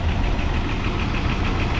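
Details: 1988 Dodge Power Ram sat 23 years, revived with oil change, new hoses, belts, thermostat housing and coil wiring fix, stock exhaust with catalytic converter removed: light quick ticking, about eight a second, over a steady idle; lifters still noisy, owner expects them to quiet.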